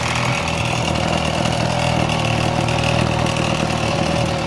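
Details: Echo handheld two-stroke blower that had been running slow; steady, even buzz at constant revs with no misses or surging, running cleanly.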